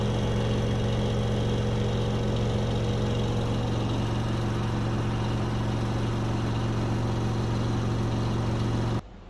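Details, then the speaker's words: LG 9 kg wash / 5 kg dry washer-dryer combo that washes but won't dry, on non-stop spin at 1400 rpm: steady, even drum roar with a firm low hum, no knocking or scraping, then it cuts off; normal high-speed spin. "So we are on non-stop spin, 1400 revolution per minute."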